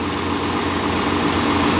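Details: Farm sprayer after repair, now raising and lowering its boom again: steady, even diesel idle with a faint constant hydraulic hum, no knocks or surging; running normally.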